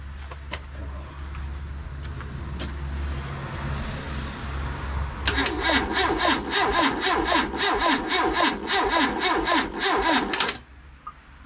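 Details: First start of a freshly rebuilt classic Mini 1380 engine on an engine jig, oil pressure just over 70 psi, exhaust fitted: steady low hum, then it catches and runs with a quick, fairly even exhaust beat for about five seconds before cutting off.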